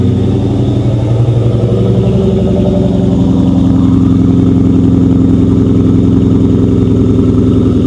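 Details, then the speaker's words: 1997 Ford Mustang GT SN95, 4.6 V8, 5-speed manual, loud exhaust: deep burble at steady idle, even loping pulse, no misses or knocks; healthy idle, though engine stalls shortly after. "Let's go ahead and fire it up real quick. See what she sounds like. Man, the exhaust on this thing is so good. It is so, so good."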